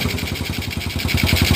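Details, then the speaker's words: Jialing 85cc Chinese motorcycle after tightening loose clutch nut: kick-started, starts immediately; small single ticks over at a quick, even beat, no knocks or rattles, smooth with clutch pulled or released. "oke langsung jadi oke hidup ya langsung hidup dan bunyinya langsung halus"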